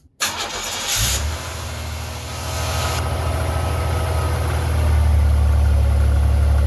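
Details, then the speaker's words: 1989 Chevy Celebrity, 205,000 miles: engine idles smoothly while a thin steady squeal rides on top from the belt drive; owner suspects a bad tensioner. "besides that screaming tensioner over there making noise. Smooth as a kitten now. Yeah, I believe that tensioner is bad."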